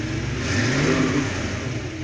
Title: 66 stang rough idle after start-up